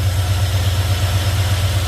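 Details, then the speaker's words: Petrol engine at 34,000 miles that sat for years, idling steadily with no rattle or tapping after a new PCV valve; the earlier tapping noise, first suspected as lifter tick or an exhaust leak, is gone. "As you can hear, it's pretty much gone. I think we're going to need to get the actual rubber grommet as well. I think part of that is assisting it, but noise is gone. Sounds good."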